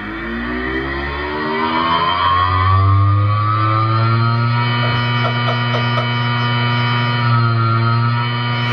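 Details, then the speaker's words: 500 GB hard drive with worn spindle bearings: pitch climbs briefly, then settles into a loud steady hum because it cannot reach full rotational speed. "500 gbyte hard drive with bad bearings that can't gain full rotational"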